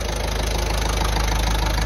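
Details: Ford Transit Connect 1.5 TDCi diesel after head rebuild following timing belt failure; steady, even idle chug with no knocks or misses; runs well, no leaks, before road test.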